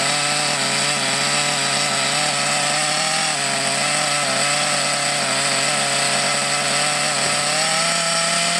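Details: Thunder Tiger EB4 S2 Pro nitro RC buggy, eBay shed find stored for years, first run after revival with reasonable compression: high buzzing engine holds fairly steady but drifts up and down slightly, unsettled running.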